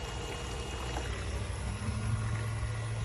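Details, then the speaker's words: Intercooler pump on a Whipple-supercharged 2019 Camaro SS 1LE, after a bracket and washer fix for the front tank that starved flow and caused cavitation: quiet, steady low hum with smooth coolant flow, no gurgling or surging. Not cavitating. "it sounds so good it's not cavitating"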